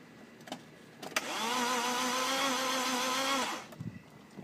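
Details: BMW E36 that died while driving, was jump-started and driven home: steady starter whirr for a couple of seconds with no firing; lights come on; cranks but won't start, owner suspects fuel pump.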